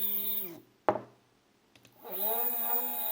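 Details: Two 3D-printer stepper motors wired in parallel sharing 2 A, previously used on X/Y axes; buzzy tonal hum sinking as motors slow, click to quiet, then climbing as they spin up; loud at lower speeds, quieter at maximum speed.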